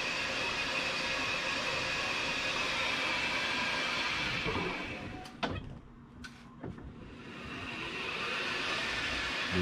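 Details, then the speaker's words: 2005 36V EZGO PDS golf cart with Navitas TSX 3.0 600A controller and HD solenoid, in reverse at wide-open 1700 RPM (forward barely works): steady high motor whine that drops as the pedal lifts; normal drive motor run in reverse. "but if I switch to reverse that's wide open 1700 RPM it says"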